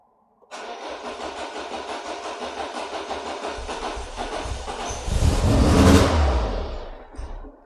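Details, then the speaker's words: Citroen BX 16V started stone cold at wide open throttle, throttle position sensor found with excess resistance: long steady cranking before it catches and surges roughly, then lumpy, spluttering and smoky; owner asks if massively flooded, misfiring; hard starting. "Does that sound massively flooded? So, it's actually misfiring full stop now."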